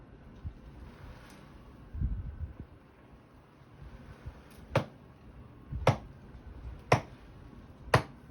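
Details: Catlink litterbox cleaning cycle: sharp pops about once a second over a quiet motor hum; likely sticky grey hood seals, noise gone after removing seals and cleaning the area.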